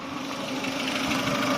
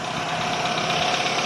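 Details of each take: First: Chevrolet Aveo after sealing a leaking pipe with epoxy for code P0507 (idle swinging high): idle settles just under 1000, around 800 rpm, steady and even with no hunting or surging, and the engine warning light is gone; normal idle. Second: Chevrolet Aveo with check engine light and code P0507, engine idling fast with no stumble; a leaking air hose is suspected. Plugging it by hand makes the engine nearly stall, and releasing it swings the idle up.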